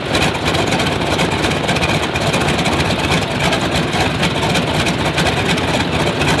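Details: Stinson L-1 radial engine with duplex magneto idles rough with a ragged, lumpy beat instead of a smooth drone; left side dead; dead magneto.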